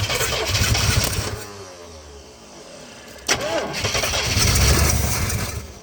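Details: 1970 Oldsmobile Toronado 455 V8 left sitting for years, starting with choke held by screwdriver and fuel primed: loud uneven surges that fade and pick up, galloping instead of idling; firing intermittently.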